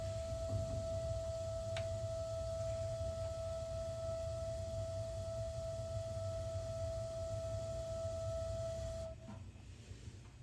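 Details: Gas water heater just over a year old with expansion tank at 50 PSI: steady high-pitched squeal over the burner roar, only while the burner fires, stopping at once when the burner shuts off; apparently not pressure related, cause unknown.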